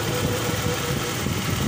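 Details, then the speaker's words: Toyota Revo engine freshly started cold (engine temperature gauge still at zero), idling smoothly and evenly with a steady low rumble, no misses; engine had stalled and refused to restart despite cranking, fuel, spark and compression being confirmed. "So kung nakikita ninyo guys umaandar yan at nakikita din ninyo na bagong andar pa yan dahil yung temperature sa engine ay nasa zero pa"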